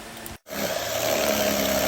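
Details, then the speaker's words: Car washer from Bangalore, motor ran but no water due to broken bearing, after replacing the set: after brief cutout pump settles into steady even hum, smooth with no rattle; working perfectly. "Perfect ആയിട്ട് working ആട്ടോ."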